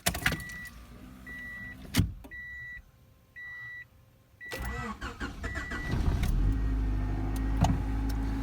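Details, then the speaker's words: 1990 Honda Accord (fourth gen, automatic), fully cold start after a couple of weeks sitting: door chimes, starter whirs, engine catches into low slightly uneven rumble then settles; rough start, owner suspects it needs plugs and ignition wires. "still starts up a little bit rough I think that has to do with just needs plugs and ignition wires or something so I'll get that looked at eventually"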